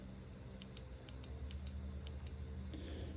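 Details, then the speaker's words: Fuel injector on bench being cleaned, powered from 12 V battery: crisp, sharp clicks each time power is touched, about ten in a few seconds; injector solenoid opening normally. "got the battery 12 volt battery one wires in here you can hear it click when i touch it listen"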